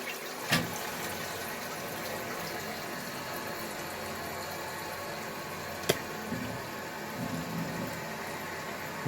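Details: Toilet cistern after replacing torn rubber diaphragm washer in fill valve: steady strong rushing refill, no hiss or trickle; previously refilled with slow trickle taking many minutes.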